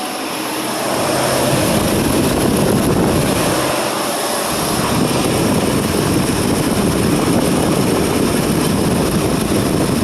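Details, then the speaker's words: 2020 Ford F-150 5.0L V8 after replacing the bank 2 exhaust VCT solenoid: steady roar through snap throttles with no rattle on deceleration, repair confirmed, no leaks or check engine lights. "well just all regular noise now no more like before so we're good that fixed it"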